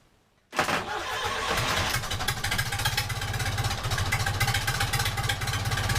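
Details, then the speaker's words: Perkins four-cylinder engine in a wooden liveaboard boat, start after refitting manifolds, no exhaust run out of the boat: fires straight away into an even, loud, sharp beat; normal start and idle. "I ought to say these Perkins are pretty freakin awesome"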